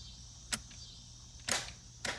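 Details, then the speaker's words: Budget bump box added to TH400 trans brake in turbo IS300, after programming: three sharp irregular clicks over a quiet hum, relay clicks each tap but solenoid doesn't always engage; owner thinks the interval needs increasing. "it doesn't seem to work on the solenoid every time i can hear the relay click i'm probably gonna have to increase that interval"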